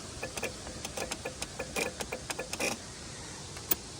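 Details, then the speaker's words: LN65 Toyota Hilux with 253 V8, sitting for a decade, battery just connected: quick irregular dry clicks in bursts, then quiet. Relays clicking for unknown reason. "Don't know why there'd be relays clicking."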